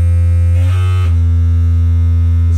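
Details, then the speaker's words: Magnepan MG-3.6R planar speakers, low test tone: rough rattling buzz on top, louder on right speaker; panel wires delaminating from diaphragm. "this is textbook magnan folks this is what happens when the wires start to delaminate"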